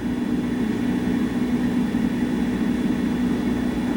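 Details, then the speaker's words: Power vent water heater at full power, heater and bathtub running, about 120,000 BTU total: steady even low hum with soft rushing wash, no surges or rattles; meter reads about 55 dB indoors, quieter than a voice. "Okay, so we're running basically full power right now. We got the heater on and we have the bathtub running. So we're using probably 120,000 BTUs."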